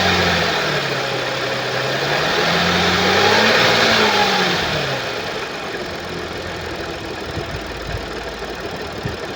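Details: 2013 Audi S4 B8, 3.0 petrol CGWC engine (333 PS), 188,866 km: revs up and settles to idle with a fast, regular rattle underneath, caused by a jumped timing chain.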